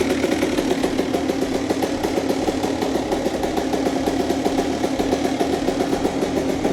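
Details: Honda CR125 two-stroke with Pro Circuit pipe, first start of the day after a full rebuild: crisp, rapid popping that holds an even idle and picks up cleanly on the throttle; engine sounds healthy.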